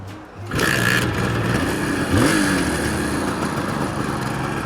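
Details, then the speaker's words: 1976 Suzuki GT380, three-cylinder two-stroke, outdoors after the carburetors were refitted: kick-starts into a crisp, even buzz with a clean throttle blip; now running on all 3 cylinders. "There we go, she's all running. So with the carburetor running on all 3 cylinders."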